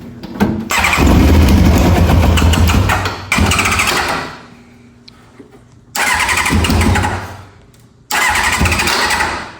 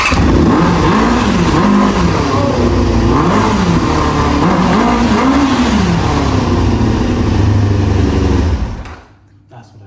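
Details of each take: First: Four-cylinder track bike that won't start, cranked after an HT lead to coil B was replaced and spark was confirmed. Repeated few-second bursts of cranking with no catch. Owners suspect fuel delivery, and are unsure about cylinder 4. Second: 1995 ZX6R four-cylinder after its carbs and pilot jets were cleaned again: the engine fires cleanly and revs up and down freely several times with no stumble, running healthy.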